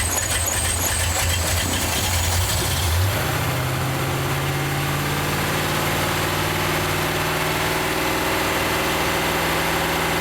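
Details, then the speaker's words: Rat rod engine just after carb cleaned and refitted: catches and settles to a fast steady tickover that won't come down; high idle, owner suspects jets, gasket set needing replacing, or a power valve not working at full efficiency. "I cannot get the tickover down for some weird reason I could just be because the Jets it could be because the gaset set needs replacing"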